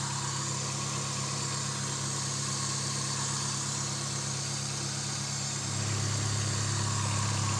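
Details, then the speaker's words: Suzuki Swift after the coil cables were reconnected: a deep, uneven rumble at idle with a low throb, because the air-flow sensor, running without a filter, is reading unstably. "Oke kita lanjut coba hidupkan yo suaranya masih gemuru ya karena sensor udaranya tidak ada filter jadi masih membaca tidak"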